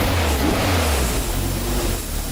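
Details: Toyota MR2 on jack stands, first start after installing a new fuel pump: runs and pulls up through a smooth rev without stumbling, misfire or knocks; fuel delivery sounds healthy.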